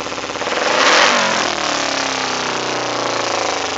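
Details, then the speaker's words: 2008 Kawasaki Ninja 250R with K&N air filter and new plugs, rich fuel-smelling exhaust: one blip, then revs hang and drift down slowly over seconds with an audible pop. The owner suspects it needs a rejet. "she's kind of acting normal let's see look how long it takes for her to drop down and I'm sure you guys heard that pop"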